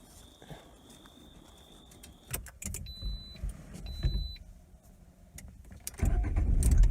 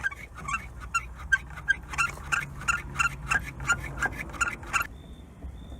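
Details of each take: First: 2019 Lada Granta FL cabin driving over bumps after the rubber seal that had shifted was bound in place with copper wire: only dull thuds and road rumble, no body squeaks or creaks. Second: 2019 Lada Granta FL (VAZ), about 2000 km, squeaking since new: rapid rubbery squeaks, about three a second, as the door moves, because the door seal has slipped out of its place in the middle and rubs; fixed by adding an extra seal tied with copper wire.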